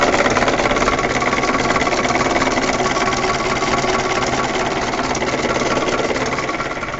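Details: UAZ 31514 with a UMZ 417 engine: even idle carrying a quick, regular tapping of about three or four knocks a second; a knock inside the engine whose cause the owner doesn't know.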